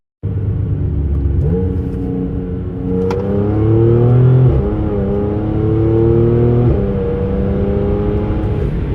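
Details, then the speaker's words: B8 Audi S4 supercharged V6 with DSG dual-clutch gearbox: engine pulls smoothly, note dropping sharply at each quick upshift, no flare or clunk; owner suspects a supercharger gasket vacuum/boost leak. "But it's got quick shifts."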